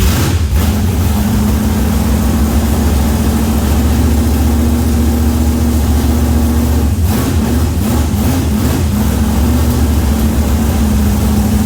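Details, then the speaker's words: Tonner truck build V8, very first start with no prior running: smooth, even idle with steady deep rumble and a brief throttle blip; timing sounds spot on, runs clean. "That sounds alright. That's good. Happy. Happy. That was the actual very first starter. You probably have seen from the word go, so they've done a good job. That timing sounds really spot on everything."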